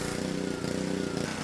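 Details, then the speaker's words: Pressure washer small engine after pump replacement, water hose attached and air purged, pump set to 2,500 psi: steady, even buzzing throttle with no misses or surging; runs smoothly, normal. "And here we go. Looks like it's working just as good as it always did."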